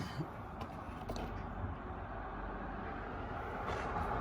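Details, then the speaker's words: 2007 Audi S8 with constant misfire and engine control unit fault codes: uneven, lumpy idle stumbling about four beats per second; unplugging one coil pack cuts the cylinder out, wet plugs found, cause suspected not confirmed. "so I started off by just slowly unplugging the coil packs take these free off nothing changes take this one off slight engine change take this one off basically cuts out so"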